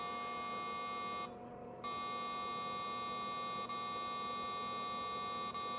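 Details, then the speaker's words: Unbranded circa-1990 386 laptop (Nan Tan 8100) under repair: a steady high-pitched tone that breaks off for about half a second then continues, an error beep at startup whenever the hard drive is plugged in; cause not confirmed. "This is really weird. When I plug in the hard drive, it gives the error beep."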